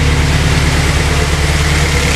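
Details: Honda S2000 first start after the engine work, with no coolant yet so it only runs briefly: a vacuum leak was fixed and it now runs much better, with a low, even rumble holding steady speed and no hunting, stumbling or hiss.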